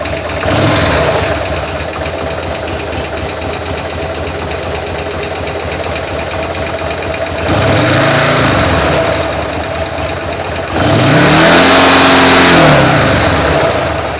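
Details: 2000 M2 Cyclone engine after stator replacement and shifter adjustment, oil a little low: rough idle and blips with sharp rapid top-end knock quickening with revs; owner suspects sticky/stuck lifter, not confirmed.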